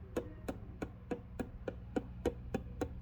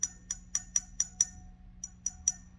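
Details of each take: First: Original Fender Vibrolux Reverb amp, tapping preamp valves with a chopstick: each tap comes through the output as a clack with a short ringing tail; that valve is microphonic and suspect, two preamp valves were faulty. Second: Fender Vibrolux Reverb amp being tapped with a chopstick for microphonics: crisp taps about four a second dying away cleanly with no ringing, crackle or hum; rectifier valve is fine.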